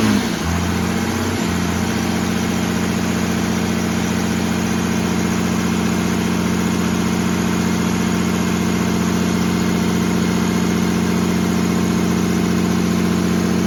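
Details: 1969 Dodge D200 Sweptline with a swapped 5.9 first-gen 12-valve Cummins, warming up after a -4°F cold start; battery not charging. A brief rev settles into steady, even diesel clatter with a firm low drone, no knocks or misses: normal diesel idle.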